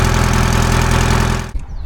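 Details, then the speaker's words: Detroit diesel in an old Grove crane that sat over 10 years, cold start: a deep, even buzzing idle with a fast steady beat for about a second and a half before it cuts out; solid, normal idle. "We're see how she cold starts today. That's pretty solid. Hard to argue with that."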